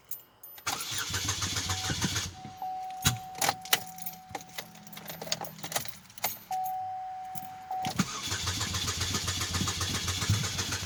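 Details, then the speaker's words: 2008 Chevy HHR with codes P0016/P0017, cam/crank correlation, driven in out of time, newly fitted catalytic converter: door chime, cranking, then loud raw running with uneven clattery slapping underneath; timing chain slap, broken timing chain guide found. "So once I did that, then I heard what sounded like slapping in the engine, like parts just loosely sitting in there. So I decided to investigate. And what I found was a timing issue, as I suspected."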